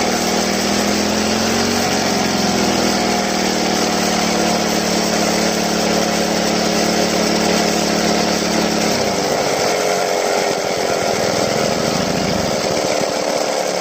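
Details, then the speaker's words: Two-stroke grass trimmer run dry, refilled, on a cold day: the buzz rises and falls with repeated throttle blips, hesitating and dropping off. Air trapped in the fuel system starves it and is purged by throttle-and-release. "โอเคนะครับเราเร่งไปเรื่อยๆนะครับเร่งปล่อยเรปล่อยเร่งปล่อยนะครับเพื่อที่จะให้ให้น้ำมันมันไปไล่อากาศออกให้มันสกูดได้ปกตินะครับการไหลปกตินะครับ"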